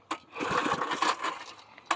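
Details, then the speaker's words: 1990s Sears Craftsman 2400 W generator, on choke: recoil pulls spin the small engine with a ratchety whir but it never fires; no start because it had no fuel. "Probably need some work done. Might. Let's see here. I don't even know if it's getting fire."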